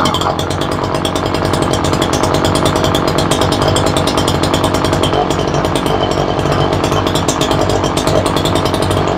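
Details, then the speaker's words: Ryobi 3818 chainsaw that sat all summer, after carburetor/fuel diaphragm work, started on choke: ragged wavering buzz at high revs while mixture screw adjusted, won't idle properly; needs carburetor tuning. "sounds like she needs a little bit of a tuneup he's not really idling right"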